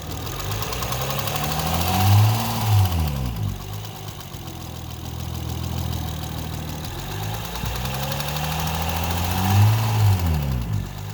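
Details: 2008 Honda Accord V6; fast ticking knock over idle, about four a second, climbing with each rev: internal engine ticking/knocking noise of unknown cause.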